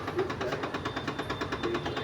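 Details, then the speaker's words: RO water purifier after a recent service: fast rattling buzz pulsing about eight times a second over a steady hum from a faulty internal valve; replaced with a new one and the noise stopped. "इसमें देखिए जो sound आ रहा है ना customer बहुत परेशान था।"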